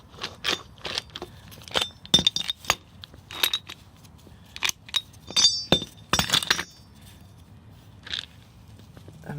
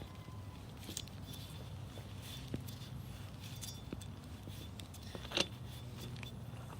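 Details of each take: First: Toyota Tacoma wheel bearing, removed and spun by hand: irregular gritty clinks and crackles from the worn bearing that had made a loud whining noise. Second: New replacement wheel bearing for a Toyota Tacoma, spun by hand: nearly silent, only light handling clicks and low background hum, unlike the loud whiny old bad bearing.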